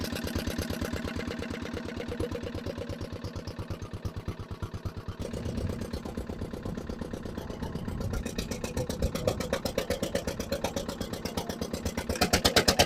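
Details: Barn-find dumper, single-cylinder diesel, first run after revival with no exhaust or silencer: harsh, loud, ragged thump about three beats a second, very smoky, revs seem very high; cause unclear.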